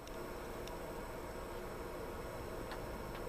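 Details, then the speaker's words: Butterfly embroidery machine after the rotary hook was adjusted and oiled (needle kept breaking), start button held with no thread in: even, quick mechanical ticking with no more squeak; runs smoothly and self-lubricates. "we'll just keep it like that on this machine okay and you shouldn't hear any more squeaking sounds"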